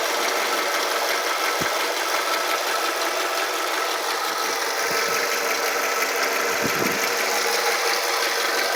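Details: 2005 Toyota RAV4 after running about 10 minutes, warm idle: a steady, uneven light rattle and ticking over a hissy background; moving the camera around did not reveal any particular area; unexplained engine noise when warm.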